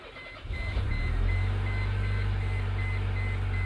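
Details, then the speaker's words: 1999 Mercedes A160 with hard-start complaint, especially mornings, tested in the afternoon with engine possibly still warm: brief crank, fires within half a second, settles to a steady even idle with dash chime beeping; no hard start reproduced. "STS and uh runs I didn't detect any hard start"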